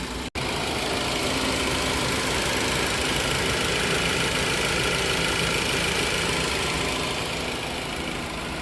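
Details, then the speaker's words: 2012 Ford Focus SE idling after valve cover gasket and seal replacement: steady, even hum with no ticking, knocking or hunting; no more oil leaks. "Everything looking good, man. No more leaks."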